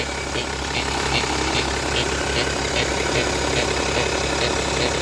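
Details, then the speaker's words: BMW 525d E60 six-cylinder diesel: steady idle with a regular nasal quack about twice a second; noise stops when the turbo actuator vacuum line is squeezed, so a vacuum fault is suspected, not confirmed. "I've found something here it's uh making this strange and as bad as the owner says it's a duck noise"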